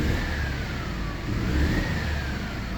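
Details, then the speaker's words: Mercedes W211 E200 with water-damaged plugs and coils: engine shakes and misfires heavily, worse in gear, nearly stalls; revved in P it runs rough and stumbling with steering shaking; scanner shows 4–5 codes. "अभी गियर में डाली है, बहुत ज़्यादा missing start हो गई है।"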